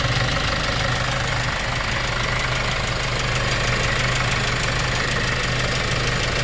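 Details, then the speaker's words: Hyundai Starex D4CB diesel, replacement engine fitted for blow-by, warm after over an hour running, no smoke: even diesel clatter at steady idle about three beats a second, no misses; healthy. "may isang oras na mahigit nakaandar yan Mga boss mainit na siya walang talsik yan mga sir goods na goods yung makina natin"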